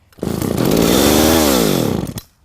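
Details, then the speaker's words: Echo 452VL two-stroke chainsaw on its first run after repair, choke off, catching and revving smoothly to a high scream and dropping back cleanly with no misfire or bogging; runs great but a little smoky. "all right well it runs let's put the mic over next to it so you can hear so as you can see it runs great it's just a little smoky but we can fix that"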